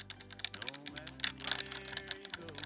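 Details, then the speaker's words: ROCCAT Vulcan II Mini Air 65% keyboard with red linear switches (45 gf, 1.4 mm actuation, advertised as quiet) in a typing sound test: bright clicky keystrokes with loose, chattery rattle on each press; the switches rattle. "I don't think that they're quiet at all, and moreover, they're quite a lot of rattling."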